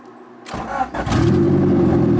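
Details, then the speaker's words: 1995 Acura Integra, turbo, with aftermarket cams, after a valve lash adjustment for a cylinder that was not firing. Radiator not yet filled. A quick crank catches and settles to an even, steady idle with no skipping; misfire fixed, sounds much better. "we go that sounds so much better"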